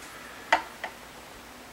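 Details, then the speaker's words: 2021 Blueberry Epiphone 335 with high action and tuning/intonation complaints: light separate clicks of a fret rocker on high frets, mostly treble side, 12th an exception; uneven frets may explain why action was set high. "so there's a few spots that have some rocking now now the frets not being perfectly level could be one of the reasons why the action was set a little higher than normal"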